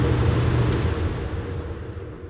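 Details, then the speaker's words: Trane XE90 furnace whose blower ran nonstop, after replacing the control board with a White-Rodgers 50A55-843: steady low blower hum fading as fan winds down and stops after the heat cycle; normal blower shutdown. "Ah, perfect, it cut off. Let's see, it'll cut off like a couple minutes later. So it looked like it's working."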